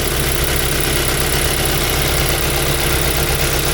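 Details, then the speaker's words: 2005 Mazda 3 2.0L 4-cylinder, 5-speed manual, after removing and manually cleaning all four injectors for random misfire; steady even idle, smooth low rumble, no stumbles or skips; running fine, no misfire, checking for leaks. "okay guys guys running fine no any misfiring all good make sure the three leak somewhere"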